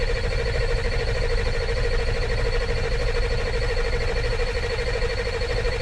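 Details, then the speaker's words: 2000 Ford F450 diesel dump truck cranking after IPR valve replacement for lost high-pressure oil: long steady starter grind with a whining tone, no firing, some smoke and fuel smell. Later found a missing rubber seal in the fuel bowl. "I see smoke, I smell fuel, so it's doing more than it was."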